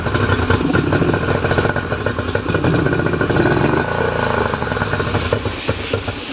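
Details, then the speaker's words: 2008 Yamaha 90 hp two-stroke outboard that sat unused, running after a new impeller was fitted and it pumps water again: uneven, lumpy running, stumbling and surging. Rough running; owner says carburetors need cleaning, not yet done. "so as you can tell the motor is running a little bit rough and that's because I have to clean the carburetor is still on the engine"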